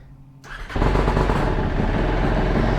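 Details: Aprilia SXV550 single on its first ride after a long-standing no-start was fixed by proper TPS setup, with a lithium battery and GY6 starter fitted: starts cleanly and settles into a steady, even low thumping run. Healthy start.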